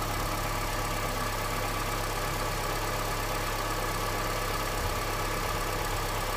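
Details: Honda CR-V, 200,000 km, cold engine idling in neutral then Drive on 5W-30 oil run 5,000 km. A faint, uneven tap about once a second sits under the drone, cause unclear. The owner is testing thicker 10W-40 oil.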